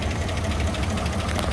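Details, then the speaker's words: 2004 Chevy Silverado 5.3 V8 with 225,000 miles, towed in after dying while driving, no oil pressure, oil like mud, blowing smoke: uneven light tapping over a rough, low idle; engine tapping from oil starvation. "i hope you can hear that tapping noise it's a 04 chevy silverado with a 5'3 225 000 miles on it and it got towed in and died while driving"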